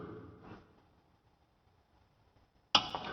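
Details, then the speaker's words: Noco GBX155 jump starter revived after its flat batteries (2.7 V) were charged by bypassing the charging circuit: after a quiet pause, one sharp relay click then a steady hiss on boost activation; the boost relay engages properly, 15 V measured at the clamps. "boost circuit appears to work fine. As you heard the relay click."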